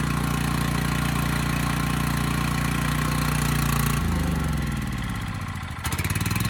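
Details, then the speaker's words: Coleman Powermate generator bought cheap, started right up and makes power, won't run off choke so carb needs attention; steady drone with quick loose chatter about three to four a second that sounds like knocking but is the frame rattling on the dolly. "there was a bit of rattling almost sounds like knocking but it's actually just the frame rattling on this"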